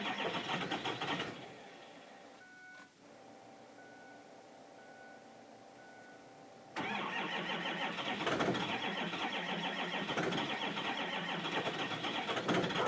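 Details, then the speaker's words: 2005 6.0L Power Stroke diesel cold start; it was plugged in about five hours, but the block heater breaker blew. Steady cranking at about 3.5 beats a second, a pause, then more cranking that never catches. Long cranking, no start. "6-liter cold start. Hopefully she goes. Got to go for injector check. And it's not starting right."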